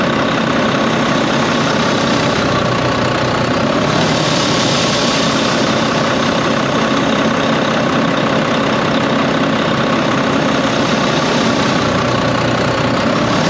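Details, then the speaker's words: Volvo VNL D13 semi truck at idle, before repair: loud, steady airy whoosh over an even diesel idle. Caused by a loose clamp and a crimped, unseated O-ring in the intake pipe. "the noise that I was explaining to you guys about the not the up and down surge, but it's an extra breeze or wind blowing from the engine, from the pipe, right?"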